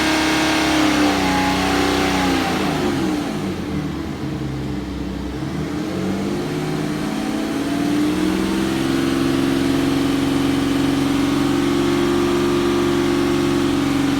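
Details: BMW N57D30 diesel, 325,000 km, revs raised and held: uneven misfire-like tapping running through the steady drone. Owner unsure, possibly this engine's normal sound but louder than others.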